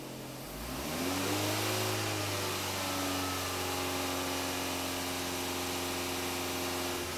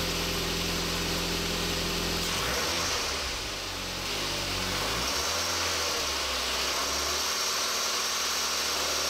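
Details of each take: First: Engine with 300,000 km after replacing a defective timing belt tensioner that made noise at 2000–3000 rpm, coolant refilled: revs up smoothly and holds a steady, clean drone with no knock, rattle or whine; sounds healthy after repair. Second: Timing belt tensioner defective, engine with 300,000 km; rough rushing whir that swells with revs, noise in the 2000-3000 rpm range as the loose tensioner lets the timing belt flap; risk of engine damage, not just a ribbed-belt idler pulley.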